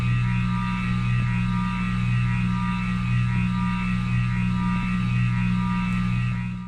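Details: 52" King of Fans spinner ceiling fan after running for hours with the motor hot: loud, steady low electrical hum with a slow pulsing throb; motor buzz appears only when hot, cause unknown (owner wonders about re-varnishing).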